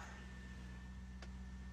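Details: VZ Commodore LS1 V8 after no-start fix bypassing the starter relay: quiet, steady, even idle with no misses, knocks or hunting.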